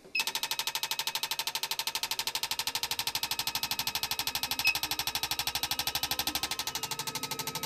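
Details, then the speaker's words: Honda RC45 RVF750 injectors, taken from a bike stored about 10 years and running on 2 of 4 cylinders, on a flow bench for spray pattern and flow testing: crisp, even ticking about three clicks a second; injectors pulse cleanly. "so now we are all up to the injector testing fitted the injectors and now we're going to see the spray pattern and the flow"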